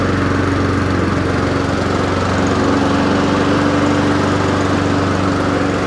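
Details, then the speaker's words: Honda HRR216 mower after winter storage, hot restart: the engine runs steady and even at constant speed, firing smoothly with no misses, knocks or rattles; sounds healthy. "And see if it hot starts. Sounds good."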